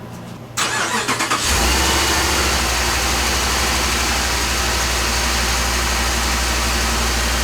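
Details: 2007 Dodge Ram 5.7 HEMI after water pump and thermostat replacement: quick crank, catches at once and holds a smooth, steady idle with an even low rumble, no ticks or knocks; no leaks seen.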